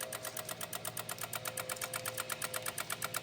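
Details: 2016 Honda HR-V no crank no start, brake on: rapid sharp relay clicking about eight per second with a faint hum and no cranking; relays chattering from a missing engine ground.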